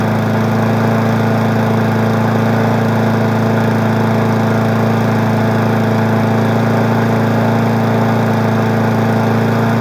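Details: Weed Eater 20-inch single-cylinder push mower being woken up in March holds a steady, even drone with no stumble or shake; smoky but smooth-running, unlike the owner's vibrating Murray.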